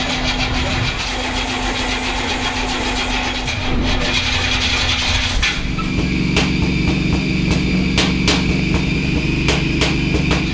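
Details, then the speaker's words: Big-block Crusher Camaro being jump-started at about 20°F after a dead battery. Starter fluid was sprayed through paper air filters; labored cranking catches into a rough, uneven idle with sharp cracks about every second, backfiring and pinging on the starter fluid. "The bummer of this is is man, just cranking all that starter fluid through this thing and making it ping and backfire."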